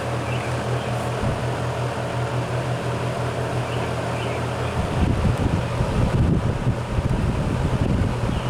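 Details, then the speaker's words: GE 20-inch box fan, model F17W12, around 60 years old, on high speed: a smooth, steady low-frequency drone from the motor with air rush and no rattle or squeal. Normal running, healthy fan. "these old box fans they always give off that distinct low frequency sound to them I can come in a room with my eyes closed and know that yep that's the sound of an old box fan running"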